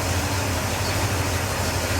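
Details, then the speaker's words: 1969 Pontiac Catalina V8 after oil and filter change: low, lumpy idle with uneven pulses stumbling now and then; rough idle, owner suspects a miss. "I think we've got a runner. It's running. Come on. not perfect, but I think it's gonna move on its own power."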